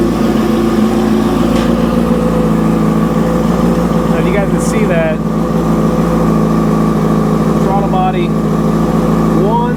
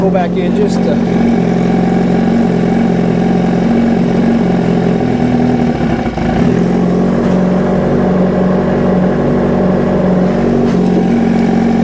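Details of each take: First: 2005 Yamaha R6 after valve adjustment, idling during vacuum-gauge throttle body sync: slightly uneven lumpy four-cylinder pulse; bodies one and two close, three and four far off, before adjustment. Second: 2005 Yamaha R6 inline-four after a throttle body vacuum sync (valves adjusted earlier): even, smooth note picking up cleanly on each throttle blip and settling back; all four cylinders pull equal vacuum and sound balanced.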